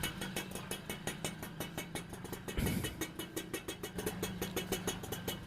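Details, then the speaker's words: Super XL two-stroke moped after engine rebuild with new crank, clutch kit, clutch shoes and bearings: light even putter at steady idle, earlier noise gone; normal idle, crank confirmed as the original fault. "First வந்த அந்த sound இப்ப எதுவுமே இல்ல அப்போ crank தான் கம்ப்ளைன்ட்ன்றத நம்ம confirm பண்ணிட்டோம்"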